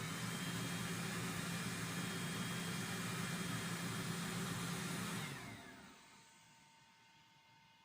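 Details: Thermo Top C diesel heater after a control board processor swap, in the diagnosis component test: smooth steady combustion fan whir with an even hum for five seconds, then a clean spin-down with no rubbing or rattle; fan is healthy.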